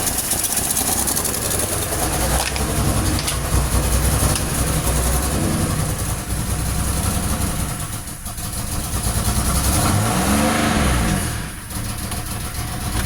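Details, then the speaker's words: 2006 Pontiac Grand Prix supercharged V6, freshly swapped engine just started, no MAP, MAF or O2 sensors connected, idling and blipped: sharp puffing tick in time with firing, no knock; exhaust leak up front. "Definitely an exhaust leak up here. I'll have to fix that exhaust leak."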